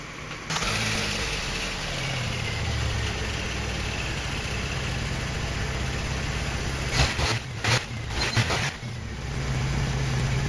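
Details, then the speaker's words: Jeep Wrangler YJ 2.5L, used replacement engine, first real start and run: fires and settles into a steady even idle with a brief rev; earlier lifter tick calmed down as the lifter pumped up; running smooth. "okay the tick calmed down significantly it's yeah that that lifter must have taken a little bit longer to inflate I am really happy with this it is running awesome"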